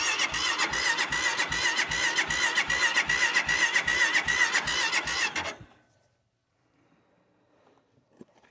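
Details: Steady starter churning at about two and a half beats per second for five seconds, never catching, then silence; engine cranks but won't start.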